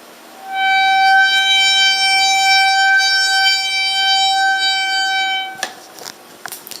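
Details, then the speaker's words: Bicycle front disc brake after washing with soap: loud steady high-pitched squeal for about five seconds while braking; pads were contaminated and later replaced; disc brake squeal. "when breaking it's starting to squeal so I want to see if anybody can help me out"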